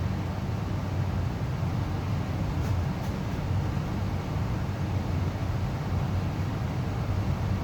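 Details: Amana 95 IIQ two-stage variable-speed gas furnace after burner shutdown: soft steady airflow rush, no burner roar, rattles or squeals, as the blower cools the heat exchanger and slowly, smoothly turns off; normal run-on.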